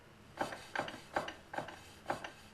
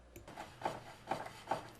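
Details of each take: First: BMW K75 motorcycle after spline lube with Honda Moly 60 grease on splines and final drive: rear wheel turning with soft regular ticks and light brake rubbing, much quieter, no hard metallic clanking from driveshaft or final drive. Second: BMW K75 motorcycle after lubing the clutch and final drive splines with Honda Moly 60: soft scraping swish about twice a second as the rear wheel turns, the brake pad lightly rubbing the rotor; shaft now quieter, no hard metallic clanking.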